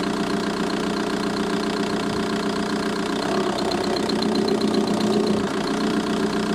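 Light, fairly quick ticking rides over a steady diesel idle, about four per second; source unclear, ticking from the engine bay.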